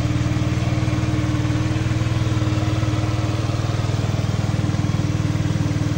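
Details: Fekon Rev-X 125 single-cylinder motorcycle, about 3 years old, warming up: steady low even idle; it had been dying when throttled.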